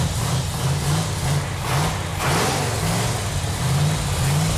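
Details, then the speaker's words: 1969½ Dodge Super Bee, numbers-matching 440 Six Pack (three two-barrels), 4-speed, 4.10 Dana, after tightening leaking fuel lines and carburetors: deep V8 rumble rising and falling cleanly through throttle blips, no misfire or knock; engine runs strong. "feels really good to hear that engine run yeah feels good that that engine sounds so good"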